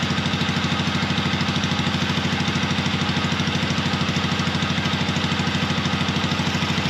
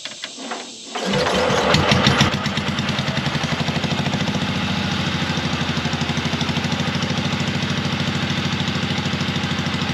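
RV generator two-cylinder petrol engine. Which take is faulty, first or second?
second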